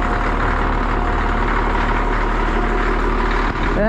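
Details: Cat D6D dozer, late 70s/early 80s, diesel just started easily, deep steady rumble at even idle, no knocks or stumbles; engine bay covered in hydraulic fluid, owner suspects blade hose leak. Normal idle.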